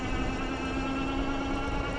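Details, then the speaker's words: Euphree Stellar Falcon eBike, 750 W hub motor (1200 W peak), 48 V 15 Ah battery, throttle only and punched: a steady low buzz with a fine whine, louder than in pedal assist; normal motor character, at first mistaken for a fender rattle. "if you go and punch the throttle you kind of hear it Buzz a little bit so just something to know I mean no big deal it's not loud enough that it's annoying me or anything"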